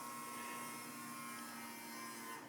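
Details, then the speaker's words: Steady electric pump hum with a faint hiss that shifts and eases as air leaves the filter housing and pressure rises: fuel pump run via diagnostic output test to prime a new fuel filter on a 3.0L TDI Touareg, normal. "so as the as the as the um filter housing fills up it uh the sound is changing that's the air coming out of it and then the pressure is rising to the way it's supposed to"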